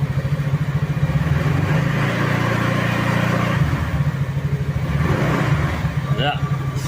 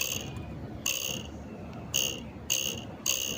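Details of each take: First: Easyride 150Fi scooter, about 4 months old, revved after refitting the fairings and windshield, with tape wrapped on the visor bracket: it holds higher revs smoothly, and the earlier panel vibration and rattle are gone. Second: Easyride 150Fi motorcycle at idle: short, high-pitched metallic vibration buzzes near the visor, traced to a cracked horn bracket letting the horn vibrate.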